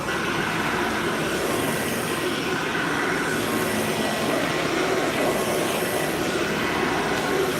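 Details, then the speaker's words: Vacuum motor: a loud, even roar with a gritty rasp and no speed change, suspected to be worn motor bearings, not confirmed. "This thing needs bearing work though, if you can hear that."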